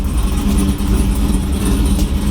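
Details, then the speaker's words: 2002 Camaro SS V8 with high idle problem, being tuned: deep idle rumble dips and sputters briefly when shifted into gear, previously wanting to die completely; stumble when shifted into gear, cause unconfirmed. "that kind of little little sputter right when they first put it into gear"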